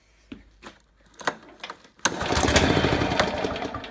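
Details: Husqvarna Royal 53 S walk-behind lawn mower: a few sharp pull-cord strokes, then the engine fires into a rough roar for about two seconds and dies away; failed start blamed on a stuck carburetor needle valve.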